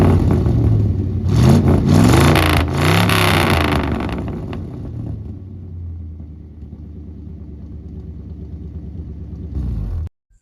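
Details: 1975 Ford F-100 that sat abandoned 17 years, now a daily driver: engine fires, revs up and down cleanly a few times, then settles to an even idle before shutting off; runs healthy.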